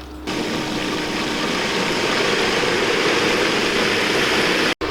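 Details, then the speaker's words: Pool pump running the Bestway Costco pool vacuum when the vacuum head is lifted from the water; steady hum turns to hissy, gurgling rush as it sucks air; fix is pump off, bleed air at valve, may need to reprime. "you'll hear the pump change sounds like that when you start sucking air"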